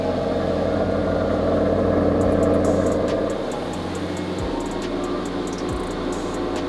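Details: 2009 Maserati GranTurismo S salvage-auction car, cold start on a battery booster with a dead battery: deep even V8 idle holding steady, no knocks or misses; sounds healthy, though very low on petrol.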